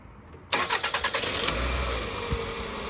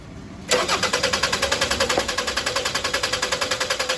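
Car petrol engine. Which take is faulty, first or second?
second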